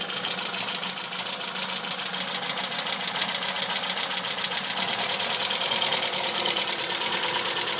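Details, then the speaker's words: Tuned Opel Kadett B OHV 1.2S engine (higher compression, sharp camshaft, large valves, original carburettor refitted in place of Weber) at low, slightly uneven idle: fast light ticking about two per second, suspected valve train despite valve clearance 0.2 mm intake and exhaust; cause unconfirmed. "jedenfalls jetzt di das Tickern das man hört dürften die Ventile sein aber warum jetzt ist das Spiel nor mal bei 0,2 und 0,2 mm respektive Einlass und Auslass gleich auf 02"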